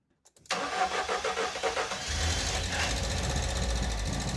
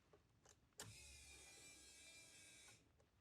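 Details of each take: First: 1988 Ford Escort, refurbished Bosch K-Jetronic metering head refitted after long lay-up: starter whirs, engine catches and runs strongly several seconds, then fades and dies completely. Starts but stalls. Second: 1988 Ford Escort, refurbished Bosch K-Jetronic metering head just refitted after long lay-up, fresh fuel, key-on prime without cranking, checking for leaks: click then thin even whir about two seconds, stops cleanly. Normal fuel pump priming.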